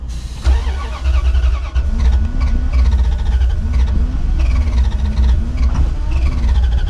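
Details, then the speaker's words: 1989 Dodge D250 that sat over 12 years, cranked with starting fluid: steady starter cranking with a wavering beat that never catches; fuel is not getting up to the carburetor, and the owner wonders whether the fuel pump is dead, not confirmed. "I think we got something else wrong. Not as easy as I hoped it was going to be. Just not getting fuel up to the carburetor."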